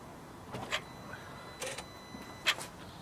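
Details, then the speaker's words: 2007 Volvo XC90 D5 that cranks but won't start, Bosch CP3 high-pressure pump removed; ignition on, suction control valve still connected to ECU gives three short hissing clicks about a second apart. Suction control valve operating normally. "so that's the um the the value is working isn't it"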